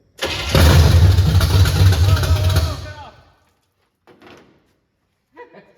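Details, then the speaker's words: 1979 Chevy Camaro V8 with long-tube headers, first start in 4 years on old gas: starter whirs, then it catches and runs ragged for about two seconds before dying, the unplugged old fuel line spraying fuel everywhere. "There she is. Uh we had uh we should have plugged the old fuel line uh cuz it just shot a bunch of fuel everywhere."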